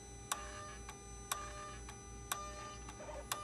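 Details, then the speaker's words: Mercedes R320 3.0L, boost pressure regulator and charge pressure too high codes: sharp clicks about once a second over a steady idle hum each time the electronic turbo actuator is commanded via scan tool; wiring good, worn internal gears, actuator needs replacing. "so every time you press F3 it makes a clicking sound so this actuator is bad guys we have to replace this actuator"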